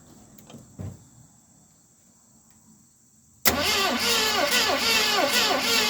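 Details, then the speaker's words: 1970 Mustang Mach 1 cranks steadily and quickly, about four turns a second, without catching. A new distributor is fitted, the spark is weak and plenty of fuel was added. Owner suspects a weak 2020 battery; cause unconfirmed. "We are getting a very weak battery, so I think we didn't start out with a strong battery."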